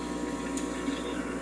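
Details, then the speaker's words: Breville espresso machine: it powers on. The pump makes a steady even buzz like working machines but delivers no water, with no gurgle. Owner suspects a clog or disconnected wire, unconfirmed. "nothing comes out of it so i know it's making the same noises as my working machines so i'm guessing it's either some sort of a clog or some sort of uh disconnected wire that's causing all this"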